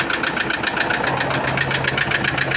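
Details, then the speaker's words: Toyota Innova diesel: sharp even metallic tek-tek knocking about 5-6 per second from low in the block at idle and when revved; oil pressure and engine lights normal; suspected metal/piston knock. "Nah, kita dengerin nih teman suara mesin bunyi tek tek tek tek tek tek tek ini teman ya. Tuh, coba kita gas. Nah, kedengaran teman ya. Jadi suaranya kayak mukul-mukul gitu, Teman ya."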